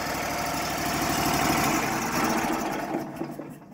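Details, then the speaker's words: Auction-bought wood chipper that wouldn't start, now repaired and reassembled: small single-cylinder engine chugging evenly at a steady speed, then winding down at shutoff; runs smoothly, normal idle. "But let's see what it sounds like after buttoning it all back up. Oh yeah. Yep. Purring like a kitten. That's nice."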